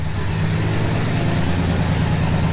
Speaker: We have the muffler off, so it's loud. I like that. Might have to leave it like that. That sounds pretty good.